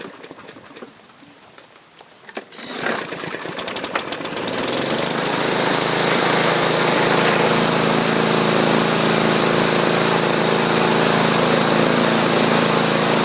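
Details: Murray 21-inch push mower taken in trade, after its numerous issues were corrected: a few pull-starts, then it catches and settles into a steady, even, fast chatter with no misses or surging. Normal running.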